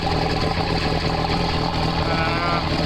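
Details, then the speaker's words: Bayliner Capri 1802 engine started out of the water with throttle eased forward: a steady, even drone with a loud open exhaust note, louder than at sea where the exhaust vents below the waterline; no knocks or misses, good telltale water stream. "Quite a bit noisier than obviously when it's running in the sea, because the exhaust vents out below the water level, which makes it much quieter than it is at the present."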